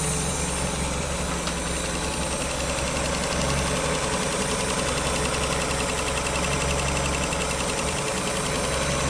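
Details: 1994 Miata NA with 2000 NB engine on Megasquirt and EDIS-4, first-start session, restarted to find an unlocated coolant leak; even settled idle with steady low beat, no stumbles or hunting: normal idle.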